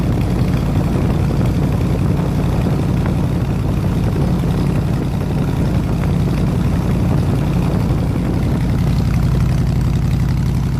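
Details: 302 V8 running an air compressor, HEI distributor replaced, plug wires re-ended, at operating temperature (160 degrees), 9 psi fuel pressure: deep, smooth, even burble holding steady with no misses or ticking; normal idle.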